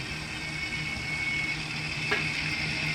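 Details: Twin-tub washing machine spin dryer after a support was added at the rubber mount: steady low hum with thin high whine and hiss, even throughout, no tub banging against the body; normal smooth spin.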